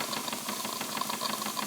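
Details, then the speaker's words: Wilesco D20 steam engine at about 1.6 bar running clockwise: quick, even exhaust beats over the hiss of the lifting safety valve, with condensed-water gurgling, normal running. "But the engine running clockwise as it is, you can very clearly hear those exhaust beeps as it were."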